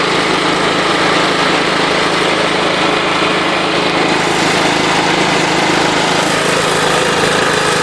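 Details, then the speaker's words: John Deere LT133 lawn tractor with Kohler Command single-cylinder, at wide-open throttle: busy metallic rattle over the steady drone, source not yet identified; rattle while running. "Something's making a rattling noise. I'm not sure what it is."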